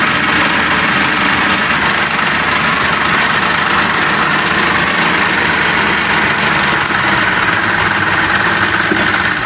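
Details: Johnson 60 HP outboard that had no spark, now running after a dangling ground wire was reconnected: steady, even idle with a constant buzzy hum and no knocks or misses. Normal idle.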